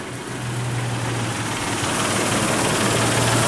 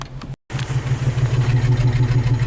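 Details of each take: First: Isuzu Rodeo starting and idling with a new ignition control module in place of the aftermarket one, amp clamp on coil control wires: fires right up, smooth even idle, no misses; normal idle. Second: Isuzu Rodeo after a half-hour test drive up a mountain, warmed up: the idle pulses unevenly with a regular stumble several times a second. Cylinder 4 misfire code.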